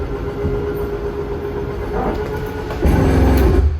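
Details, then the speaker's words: 2022 Forest River Salem 26DBUD travel trailer slide-out extending: steady motor hum, then coarse gear-grinding burst about a second when fully out; normal end-of-travel ratchet indicating full extension. "Once this is fully out, you'll hear like it'll sound like a gear grinding, but it's just meaning it's fully"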